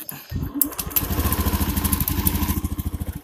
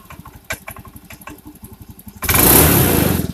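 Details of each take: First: Honda Beat fuel-injected scooter with a broken spark plug and a leaking plug cap: even after a new plug it runs lumpy with an uneven, stumbling beat of about three pulses a second; the misfire comes from the cap leaking spark. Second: Honda Beat injection scooter, after replacing broken spark plug and leaking plug cap that caused stumbling: even idle with three quick throttle blips climbing and dropping cleanly, no stumble or popping; fuel pump was not the cause.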